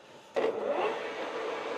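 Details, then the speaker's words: Used industrial lathe bought at auction, spindle at 630 rpm in higher gear range (630–1,800): smooth, even hum, no knocks or grinding; lower range around 220 rpm sounds horrible, owner suspects gear not fully locking. "Sounds totally fine. Running great. Sounds fine."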